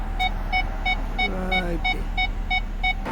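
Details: 2007 Nissan Maxima with a regular speaker temporarily in place of the reverse sonar buzzer, whose old coil tested open: in reverse, clear evenly spaced beeps about three per second with steady pitch and volume; sounding properly.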